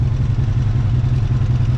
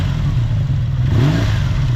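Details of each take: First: Honda VF750F V4 at idle before carburetor synchronizing, engine started cold with choke: lumpy, uneven idle with ragged low beat and irregular pulses between cylinders; carbs out of sync. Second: Honda VF750F V4 after carburetor sync (cylinders 1, 3, 4 close, 2 brought down), idle set back down: even idle rises cleanly into a quick rev and settles smoothly; balanced, normal.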